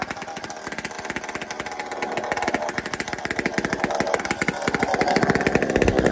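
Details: Chainsaw with muffler taken off a Tin Man 66 saw, cold start: loud, ragged two-stroke buzz with uneven popping that steadies and climbs as it revs, smoking a bit; spluttering until warmed up.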